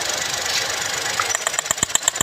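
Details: 2021 Geely Coolray petrol engine after replacing faulty injector and fouled cylinder 3 spark plug that caused a shaking misfire: steady idle with fast, even light ticking over a clear high hiss, no stumble; running smoothly.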